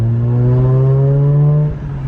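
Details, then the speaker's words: 2009 Mazda RX-8 R3 after a cheap eBay exhaust with high-flow resonated mid-pipe and high-flow cats plus basic maintenance: light first acceleration gives a smooth, rising rotary hum and an even drop-off with no rattles; sounds healthy. "okay guys first little baby acceleration oh my gosh that sounds good listen"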